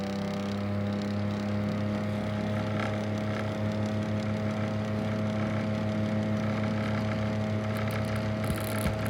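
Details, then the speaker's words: 1964 Pifco Spinair 9-inch desk fan motor humming under a rough, gritty grinding with a faint irregular knock; owner plans to check the bearings, cause not confirmed. "i need to help and figuring out what this knocking noise motor is coming from makes tan sound horrible but it still sounds beautiful because you can still hear the world of that expertise t10 motor in there but yeah can you help me figure out what this grinding noise is take a listen"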